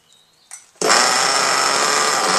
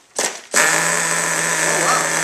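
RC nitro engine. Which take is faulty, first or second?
second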